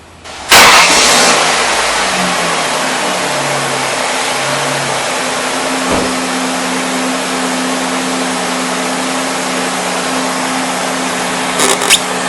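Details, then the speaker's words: 2000 Ford Windstar 3.8 L after idle air control (idle speed) motor replacement and cleaning: catches at once into smooth steady raised cold-start idle around 1200–1500 rpm, expected to drop to about 800 as it warms; normal. "all right it appears to be okay as and when you start it up you know the idle speed is supposed to jump up to about 12 1500 rpms and as the engine warms up the idle speed should come down to the normal range which is probably somewhere around 800"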